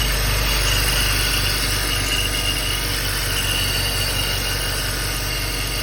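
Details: BMW X3 3.0i E83, 2004, 129,000 km, cold idle: a thin, high chirping or ringing starts about 12 s after starting and disappears with slight throttle or once warm. Source unknown; the owner wonders about the timing chain, an accessory, the AC compressor or the water pump.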